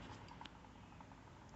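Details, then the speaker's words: Bad Boy Revolt mower front caster wheel, new 1 3/8 bearings fitted, axle nut loosened after overtightening stopped it turning: wheel spins freely with a soft, even whir and faint light ticks, no grinding. Bearing smooth. "Nice and smooth, no grinding. Excellent."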